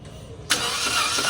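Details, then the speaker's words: Toyota Wigo that wouldn't start after water was drawn in through the air intake, cranked with spark plugs removed to expel water: starter catches hard with a hitch and uneven churn in the cranking rhythm. "Kung mapapansin niyo mga boss, nakatanggal na yung spark plug pero halata mong may sabit 'yung cranking niya."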